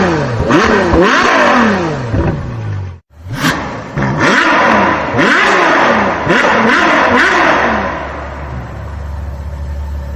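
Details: Suzuki Multicab F6A engine revving. The rise and fall sound ragged and uneven with a mid-rev stumble. Misfire caused by oil getting onto and wetting a spark plug, interrupting the spark.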